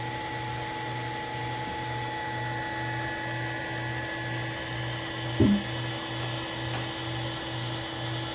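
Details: Allen Bradley MPL-B330P-MK74AA servo motor, test run after repair on an Allen Bradley drive: a steady low hum with a fixed high tone, no grinding or knocking. Normal run.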